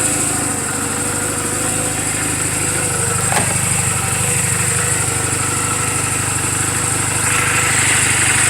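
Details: 2007 Honda Rebel 250 at idle in neutral, 11,456 miles, just after a valve clearance adjustment: steady even putter around three beats per second, no ticking or misses; sounds healthy.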